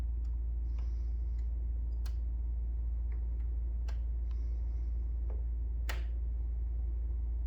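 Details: Brand-new Pioneer 9000 BTU 240V mini split: sharp irregular clicks every second or two over a low steady hum while running; cause unknown.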